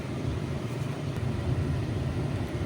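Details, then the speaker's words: 2016 Ram Big Horn cabin blower after a fix for a blower that would not turn on: a steady, even low whoosh of air with no rattle, chirp or wobble. The blower now runs normally. "But go back over here and you guys can now hear that blower fan blowing."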